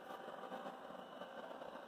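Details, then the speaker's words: Eufy 11S robot vacuum on rug after fixing main roller brush: soft, steady whir with light even texture, no rattle; previous loud rattle came from a seized side support bearing wearing away plastic bushing, fixed with new cap. "And it's working great now. But previously, we hadn't been using it."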